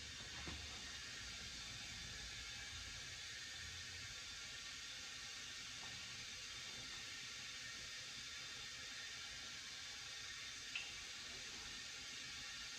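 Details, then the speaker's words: 2010 Subaru Forester rebuilt engine, heads redone and new rings, not running, leak-down test on cylinder 3: constant steady air hiss, about 50% leakage versus about 25% on cylinders 1, 2 and 4. Cause unknown. "cylinders one two and four now four was my problem child before or all good they're about 25 percent cylinder three is at about 50 leakage"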